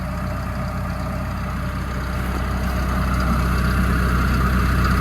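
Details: Develon -5 high track excavator diesel idling: steady low rumble with an irregular hollow beat about four pulses a second; unidentified noise persists after idler work, harder to hear up close.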